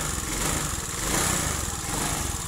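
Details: Honda Beat fuel-injected scooter with a hard-starting and fuel pump fault; steady even idle, rapid low putter and light hiss.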